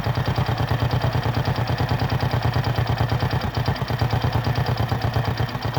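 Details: Kymco AXR 110 scooter idling after spark plug replacement fixed no-start: steady even single-cylinder beat, about three firings a second, no misses or knocks.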